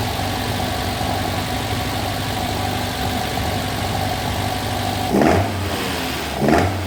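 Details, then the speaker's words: Classic Alfa Romeo GTV 2000 after head gasket replacement and carb rebuild, choke sorted: steady even idle then two clean quick throttle blips rising and settling smoothly; smoke only oil burning off exhaust, runs healthy. "That's just the oil burning off the exhaust. Now fire it up and you can see how good it runs."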